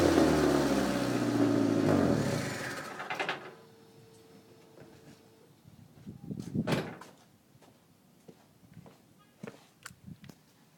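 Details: Car exhaust revved for a few seconds before shutoff, sounding loud and raspy, harsher than a sealed system, while the muffler was being cut off and a rusty, stripped bolt left the joint loose. Exhaust leak.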